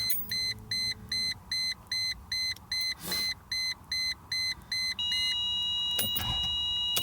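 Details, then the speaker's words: 2002 Mercedes E320 (was stuck in limp-home mode) fails to start in park: even high warning beeps about 2.5 per second, then a steady tone, engine never catches; owner unsure if waiting for beeping helps; later found TCM near front fuse box filled with fluid. "so it tried it there I don't know if waiting until the beeping stops helps or not"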